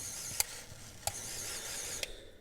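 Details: 1950s Olympic Express HO B&O GP7 locomotive, reassembled after freeing its seized motor: light high-pitched whir of the tiny gear train spinning freely with a few sharp clicks about a second apart; drive runs normally.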